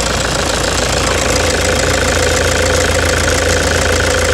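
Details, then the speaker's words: 2009 Toyota Hilux diesel at idle before repair: loud, rough clatter about three knocks a second over heavy vibration and engine misfire, from a stuck faulty injector knocking loudly. "e o que é e com certeza a vibração a falha no motor dá para perceber né"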